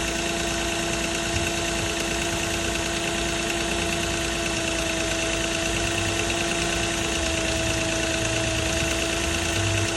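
Steady idle with a light, loosely timed metallic chatter riding over the engine, about three ticks a second; sounds like chain rattle. Cause suspected, not confirmed.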